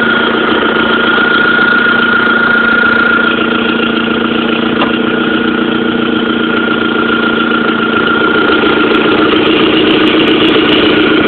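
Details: 1.8T engine at idle with a light, fairly regular tick, roughly three or four a second, over a steady idle; owner suspects an exhaust leak, pretty sure at the manifold, not confirmed.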